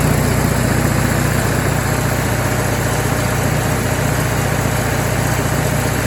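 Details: MEP-802A diesel generator bought at auction, after fixing no-fuel fault by unplugging fuel level switch; warm, a little over 160 on temp; steady even diesel thrum, regular low beat, no misses or knocks; running smoothly.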